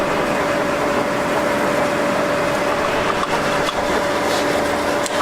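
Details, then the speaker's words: 26" DoALL 2612-2H vertical contour bandsaw, 3-speed transmission, speed being increased, microphone on operator's shirt: steady mid-pitched hum with even motor and blade noise, no grinding or clunks; running normally. "Here's how you change your speeds higher and slower. You can hear I have a microphone right on my shirt here. You can hear it increasing."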